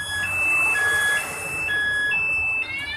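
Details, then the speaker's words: Yamaha NMAX with aftermarket alarm, engine shut off from the remote while running (anti-robbery mode); start attempt sets off a loud warbling two-tone siren and the engine stays dead; anti-theft alarm triggered, engine immobilized. "Ini saat perjalanan bisa kita matikan mesinnya dari remote. Tekan gembok kunci satu kali. Sudah mati, kita coba nyalakan."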